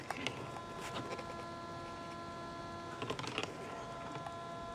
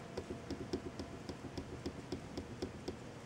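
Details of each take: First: ASUS MB19TU monitor with brightness set below maximum gives a steady high-pitched hum with several fixed tones from its two built-in speakers; raising brightness to 100 in the menu removes it. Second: ASUS MB19TU LCD monitor with brightness raised to 100: quiet room, light even clicking about four times a second, no speaker hum; hum returns at brightness 90.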